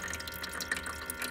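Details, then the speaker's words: Dometic portable ice maker, working unit: soft pump hum under irregular splashing and dripping as pump sprays water into ice tray normally; on the faulty unit pump ran but didn't spray, cause a hair stuck in pump. "you should be able to see your water spraying in there you you can hear the pump"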